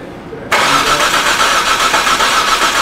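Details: 2007 Hyundai Santa Fe 2.7L no-start, cranked while ignition coil is scoped: steady fast cranking for several seconds, never catches; spark confirmed present.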